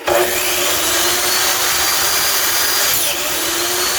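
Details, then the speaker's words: SKIL 3311 telescopic-arm miter saw, several years old, after dressing the worn side of the motor carbon brush: motor spins up to a steady high whine with even speed, no crackle or stutter; heavy sparking underneath is gone, normal running restored. "então is aí pessoal voltou a ter o barulho normal dela e essa parte de baixo aqui era muito muita Faísca e agora ficou normal"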